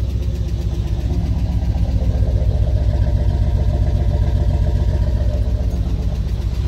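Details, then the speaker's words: Truck idling just after the crankshaft position sensor was replaced: even, steady low rumble, about four pulses a second with no misses; much better running, though still shaking a little. "Lots better. That definitely fixed it. Still kind of shaking around a little bit, but man, that sounds a lot better."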